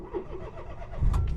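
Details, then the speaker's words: 20-year-old automatic Smart ForTwo bought for £200, before a test drive: quiet a second, then the engine catches at once and settles into a steady low idle with no stumble, then a little rev; starts perfectly. "starts perfect okay little bit of a ref now"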